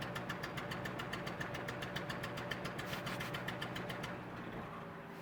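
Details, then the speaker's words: 1988 Daihatsu Hijet mini truck, carbureted, stored two years, restarted hot right after shutoff: quick, even cranking around six beats a second that never fires. Owner suspects vapor lock or a sticking carburetor fuel issue. "I'm definitely thinking it's a fuel issue in with the carburetor or something is getting stuck just the way it's acting"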